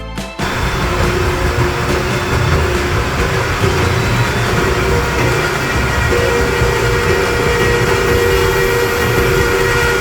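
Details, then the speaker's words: Vane-type vacuum pump: harsh gravelly cavitation crackle over steady hum, rising as vacuum level increases via circulation-line valve; cause believed to be pump operated outside its conditions, with vacuum breaker letting water return when sealing water stops. "Je pense que le bruit est le bruit de la cavitation due au non- respect des conditions d'utilisation de la pompe, et Vacuum Braker pense que l'eau retourne dans le vide résiduel lorsque l'étanchéité à l'eau est arrêtée."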